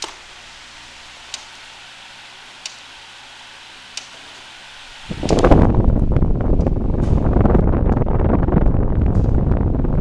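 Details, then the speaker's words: Electric fan repaired after being dead (overheat fuse issue), other fans off: quiet room, then a steady even rush of air on medium setting, with no rattles or ticking; quiet, normal fan running. "start off with low oh that's a quiet fan good air mover too I'm already liking it"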